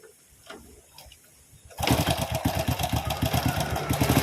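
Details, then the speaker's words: Honda Supra X (C-series) starting and idling with a fast uneven metallic clatter at the left side of the cylinder head; stretched cam chain suspected, automatic tensioner lifter found with its check ball detached. "Terdengar suara ngeletrek atau ngeclek di area bagian head sebelah kiri, mesin sebelah kiri, Kang Bro. Biasanya untuk motor jenis ini keseringan yang bermasalah itu di bagian rantai keteng yang sudah mulai molor."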